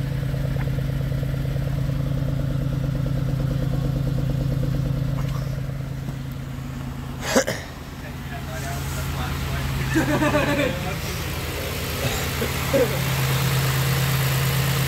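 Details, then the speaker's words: 2006 Pontiac Grand Prix base idling after top swap with new exhaust valve seals while bleeding cooling system; steady, even low idle, smooth beat, brief bump mid-clip, no knocks or misses – healthy, no black smoke. "nice and healthy though nice and smooth to add a little more coolant"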